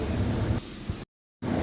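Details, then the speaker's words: 2017 Hyundai Sonata petrol after fuel pump replacement fixed misfire: low, steady idle with no stumble, surge or missing, rpm stable, no check engine light. "यह गाड़ी मैं start करूंगा यह देखें RPM वगैरह हर चीज इसकी स्टेबल है"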